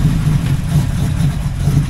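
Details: Chevrolet El Camino V8 started at 20°, suspected hydrolocked with antifreeze in the cylinders, electric fan running: lumpy, uneven low idle rumble, stumbling now and then; running rough, likely misfiring.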